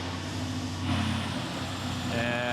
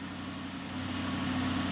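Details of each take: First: BMW X6, codes cleared after swapping cam parts between banks: uneven, lumpy idle with unsteady beat under exhaust drone; rough idle, camshaft 2 timing code returns. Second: BMW X6 M with N63 engine, codes cleared: steady, even idle with smooth low hum, no misfire, stumble or ticking; normal idle, no codes.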